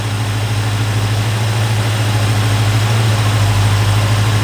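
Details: Freshly installed 302 V8 in a 1969 Ford Fairlane, after timing set around 36–38 degrees total and coolant burped, heater on: deep, even burble with steady low hum, no misses or stumbles; smooth, healthy idle.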